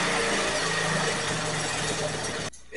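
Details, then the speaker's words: 1983 Honda ATC 185 three-wheeler after carburetor rebuild, pilot screw set to 1.5 turns out (was 2.5): runs ragged with pops back through the intake, then stalls; owner suspects slightly lean, plans to back the pilot screw out. "popping just a little bit through the intake and then it did stall on me usually that means it's a little bit lean"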